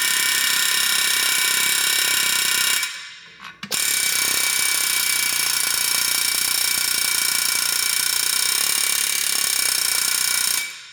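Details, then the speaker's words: 1979 Mercury Cougar XR7, 302 V8 junkyard revival: air hammering a rusted brake drum at the hub rings steadily, then the pitch changes as the seized drum breaks free on the axle; a ridge may still hold it on. "okay did you hear that ringing change that's what we're after"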